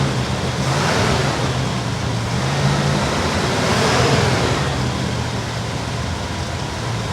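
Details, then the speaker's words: 1964 Chevy Bel Air with a replacement 350 small-block V8 and Carter AFB carburetor: idle set high at 800–1000 rpm with a slightly uneven lope; it stalls if the idle is set any lower. "lopy idol it doesn't want to come down it's got to stay 800 to 1000 RPM or it just stalls out so I've got the timing set or I'm sorry not the timing I've got the uh idle somewhat set where it actually will stay running here"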